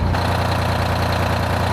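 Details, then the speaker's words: 1975 Peterbilt 359 heavy haul, Detroit 12V71 V12 two-stroke diesel, after fixing a fuel problem that left one bank cold: deep, fast, even idle with steady firing beat, no skips or knocks, heat even side to side, good oil and fuel pressure; normal idle. "still got great oil pressure now we're only seeing like 20 before oh it's super crisp we got good fuel pressure"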